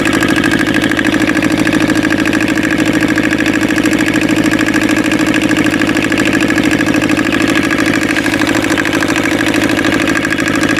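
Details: Aixam Crossover microcar diesel after replacing the variator with an aftermarket part and a new accelerator cable, which cured the noise: steady even diesel clatter, no rough patches or slipping; engine and variator running normally.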